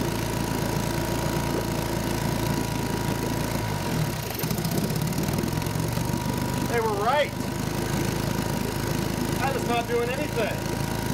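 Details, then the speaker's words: 1952 Johnson Sea Horse 5 hp (TN-28) twin outboard, revived after 50 years unused: steady, rough low drone with an uneven beat at idle, firing on only one cylinder. "you were right one cylinder apparently i have more work to do all right that still is amazing to me that those guys were able to hear on a video that this thing was only firing on one cylinder"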